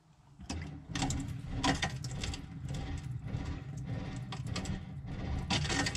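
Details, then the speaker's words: Talbot Express motorhome water pump: small pump chatters in uneven rattling pulses instead of a steady hum; it is running dry because the water tank is empty. "i've turned that on it's still pulsating"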